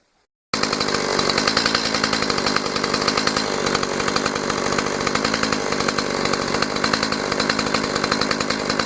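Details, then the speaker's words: Stihl MS 180 chainsaw that previously would not hold idle and stalled, now repaired by filing the carburetor. It idles steadily with a quick, even two-stroke burble, no stumbling or stalling, at normal idle speed. "Холостые обороты в нормальном состоянии."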